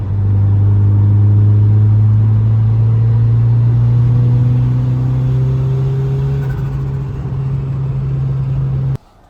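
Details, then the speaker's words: Turbo Honda Civic with a newly installed Evil Energy adjustable fuel pressure regulator reading about 30-35 psi, driving under a pull: a strong, even drone climbing steadily in pitch without stumbling or popping. Runs almost perfect; normal acceleration. "Well guys, with this new fuel pressure regulator installed, this thing is running almost perfect."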